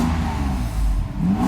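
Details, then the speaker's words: Mercedes 600SL after E-gas module and throttle body repair, air pump off: even idle then a clean quick rise on slight throttle, no hesitation; normal idle and throttle response. "easy acceleration everything's fine so that was just a slight press on the gas"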